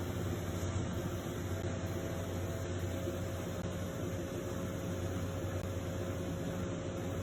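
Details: Comfee 0.9 cu.ft portable washer (CLV09N1AMG) washing a pretty big load, base slot slid under but left unscrewed: steady, even low churning hum with soft hiss, no knocks or thumps; normal wash cycle.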